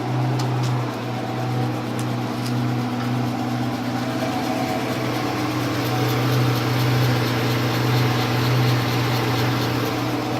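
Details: C11MB lathe running: steady low motor hum with faint scattered ticks and a wavering rattle over the drive; strange abnormal noise, cause unclear.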